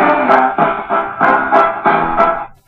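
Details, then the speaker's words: Old Vidor battery valve radio from a car boot sale, run on strung-together batteries with a tape player fed into the volume potentiometer: loud music comes through harsh, fuzzy and crackly with a lot of distortion; the radio is thought to be beyond repair. "pretty freaking loud but as you can probably hear there's a lot of distortion there"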